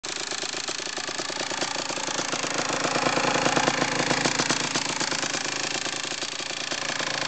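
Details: Kawasaki KX85 two-stroke at idle: sharp dry metallic rattle clattering steadily each revolution; piston slap.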